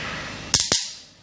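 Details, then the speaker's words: Two 2.5 capacitors connected to a lamp circuit: two sharp crackling snaps half a second apart as the charged capacitor arcs while charging and discharging through the contacts. "অবশ্যই spark করবে, যেটা বলছিলাম আর কি। একবার charge হচ্ছে এবং discharge হয়ে যাচ্ছে।"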